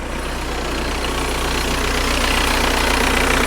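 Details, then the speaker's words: 2003 VW TDI diesel after thermostat and coolant temp sensor replacement, no leaks: steady idle with an even low chug and no misses or knocks, seeming to get better the longer it runs; normal idle. "actually seems like it's getting better the longer it runs"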